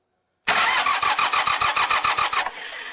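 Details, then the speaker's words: Montana 4540 tractor diesel cranking slowly in laboured, even pulses of about 3.5 per second while battery voltage drops low, then catching briefly. The battery later tested good; the starter was replaced and the switch is still suspected. "YEAH. UM EVEN though it's turning over, I uh I don't like how low that's dropping down."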